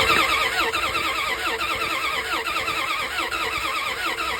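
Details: 1998 Dodge Ram 1500 5.7L, all sensors reading 5 V high (P0113 P0123 P0463 P1492), no RPM signal: starter spins engine at uneven, warbling pace, never fires; no-spark crank no-start, crank sensor and ignition coil replaced.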